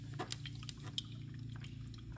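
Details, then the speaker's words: 2016 Toyota Corolla headlight assembly (low-beam unit with built-in ballast, not replaceable bulb), bulbs removed: shaking the lamp gives faint sloshing and dripping inside the housing, which is full of water; the whole assembly was replaced. "you hear that that's aquarium full of water right here"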